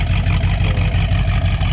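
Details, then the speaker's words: Classic car with a 365 hp 460 V8 and newly fitted dual exhaust, revived after long storage: a lumpy but even low burble with regular exhaust pulses and no knocks; a normal, healthy idle. "I had to dual exhaust put on it yeah listen to that thing hurt he's got the 365 horse 460."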